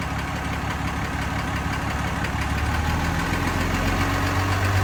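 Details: 2015 Ram 2500 6.7 Cummins diesel at idle: light ticking roughly three to four per second over the clatter; source not pinned down.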